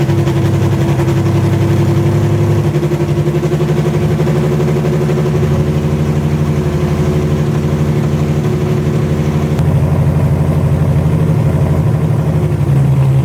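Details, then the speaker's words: Widebody BMW E30 on MegaSquirt ECU with fuel pump rewired to factory wire, steady low petrol idle with even exhaust pulse and slight pitch hunting, no knocks or ticks; fan works, fuel pump cycles properly, timing not yet set; normal idle. "so now everything's good it idles it the fan works the fuel pump kicks on and off like it needs to"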